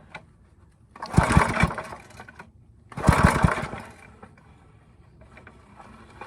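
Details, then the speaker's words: Briggs & Stratton 5 hp engine with pulsa-jet carburetor after a quick carb clean, choke on: two short pull-cord rattles spin the engine but it never catches because the kill switch is engaged; cranking, no start. "Let's do our kill switch and see if we have it. Okay, so our kill switch works, that's good."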